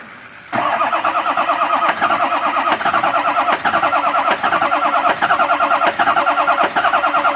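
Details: 2004 6.0 diesel right after start-up, smoking heavily: a sharp, rapid ticking puff rides on the idle in step with the firing, indicating an exhaust leak.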